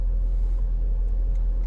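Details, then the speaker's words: 2012 Dodge Durango Citadel test drive after greasing the rear CV axle that had been popping: only smooth, even road rumble with no popping or clicking from the rear; rear axle sounds healthy so far. "Yeah, I mean, like I said, I don't want to claim victory yet, but so far so good. No popping noise of any"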